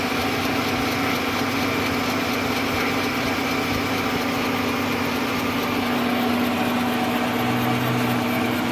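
Constant rough drone with a steady whine and a faint rapid rattle; something abnormal in the lathe, cause not yet clear.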